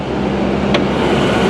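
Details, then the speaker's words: 1998 Ford Explorer, 26 years old, first start after battery replacement: smooth steady idle hum, no ticking, knocking or smoke. "That's the smoothest 26-year-old car I've ever heard run. No ticking, no knocking, no smoke. It fired right up."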